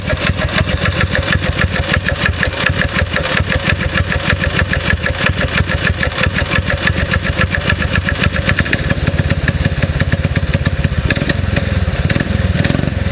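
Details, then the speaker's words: Predator 6.5 clone single-cylinder engine on a springer bike, after re-jetting the carb and cleaning the spark plug: fast even putter with a crisp, slightly ragged exhaust beat; owner says it responds well and is not missing, only slight sputter when the throttle is cracked; normal running. "I like the way it responds it does sound like it's missing but I think it's just the exhaust note it doesn't feel like it's missing"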